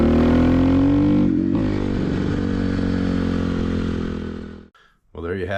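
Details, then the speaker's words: 2004 Honda CRF250R, test ride: at wide open throttle revs climb then stumble and flatten instead of pulling cleanly; lean bog from too small a main jet, fixed by going up to a 170 main jet. "that right there is telling me that this is way too lean I need a bigger main jet"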